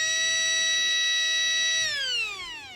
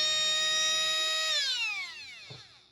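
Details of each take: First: Traxxas Nitro Rustler starter motor after a few drops of oil on its bushings: steady high whine, faster than before oiling, then falls away smoothly as it winds down; spinning freely with no grinding. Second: Traxxas Nitro Rustler starter motor, before oiling: high steady electric whine winding down when power drops; dry unoiled bushings make it spin slower, and oiling them speeds it up.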